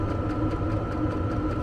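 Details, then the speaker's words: Vevor diesel air heater in an uninsulated Fiat Ducato van, after a 2–3 minute start-up with the pump audible, ramping up then at full power: steady fan whir, thin constant tone, quick regular fuel-pump ticking; normal running at full power. "Là, il accélère. Là, il accélère. Allez, je vais doner. Là, il est à fond. Position 1."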